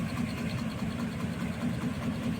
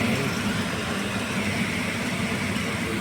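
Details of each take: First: HVAC package unit, heard indoor and outdoor, compressor not running: steady low drone with a quick, uneven flutter; worn, damaged V-belt slapping on its pulleys. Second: Package AC unit after the belt causing the noise was replaced and the unit powered back on. It gives a steady, even whoosh and hum with no slap, squeal or knocking; the belt drive now runs smoothly and normally.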